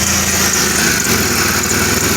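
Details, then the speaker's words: 1997 Pontiac Grand Prix GTP coupe, exhaust manifold to down pipe joint freshly bolted, held by only one bolt: loud rough idle with sharp puffing tick on each firing pulse, exhaust escaping, manifold leak. "ooh it's actually got exhaust coming out go again it does definitely got a leak up here"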